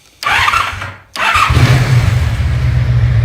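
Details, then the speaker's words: Motorcycle after carburetor synchronization (throttle valve adjustment screws, vacuum ports plugged): starter whirs, first catch dies, then fires and settles into a smooth, even low idle with no hunting; idles much better than before. "I don't know if you guys can tell or not, but it idles a lot better than it did."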